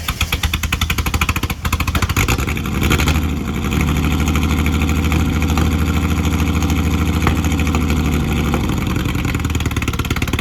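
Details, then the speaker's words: Ford AU Falcon off-road build, first running after loading Ford map onto ECU: idles and revs with an uneven beat and occasional exhaust stumbles; a misfire the owner then fixed by changing spark plugs. "Yesterday I just changed out the plugs because I don't know if you guys could hear that on camera, but it had like a misfire."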